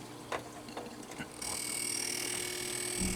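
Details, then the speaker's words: G08 monitor under repair with deflection control chip bypassed for testing: a few clicks, then on power-up a high steady whine and faint buzzy chatter; horizontal and vertical deflection working but no high voltage. "Can you hear the chatter? So now we have chatter."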